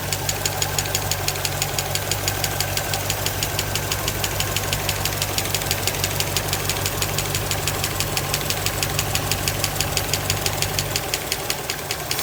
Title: 1963 impala 327 V8 SBC ticking noise right side valves